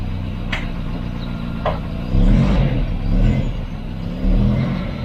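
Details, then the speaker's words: Volvo 245 wagon (240) after 11 years off the road, cold engine at idle: revs swell and sag about once a second as it hunts, over a rumbling exhaust blow. Idle is fine once warm. "Yeah, she's hunting like crazy. Once she's warmed up, she's alright, but you can probably hear the exhaust blow."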